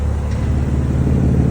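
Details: BMW M2 Competition revving after repair of broken internal welds in the rear muffler; short deep rumble building into a clean rising note with no rattle or buzz from the rear silencer.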